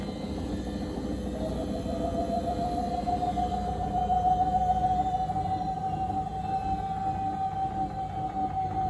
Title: UseLogic Is Gonna Die?? Burning Smell, Sounds Like Vaccum Cleaner